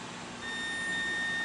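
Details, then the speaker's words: Whirlpool-built Roper mechanical-timer electric dryer with no power: multimeter on ohms across door lid switch with door closed gives a steady high continuous beep, closed circuit; switch most likely good. "in this case we have a closed circuit so that shows us that most likely this switch is good"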